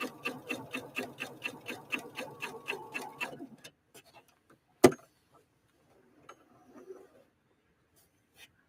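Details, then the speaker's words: Husqvarna Viking Opal 650 sewing machine (Swedish design, Asian built), LED light off, stitch length 3.0; soft even ticking at about three stitches a second for a few seconds, then stops, very quiet from beside the machine: normal smooth stitching. "I don't know what you can hear on the camera but sitting right here next to the machine uh it is surprisingly quiet surprisingly quiet machine very very quiet"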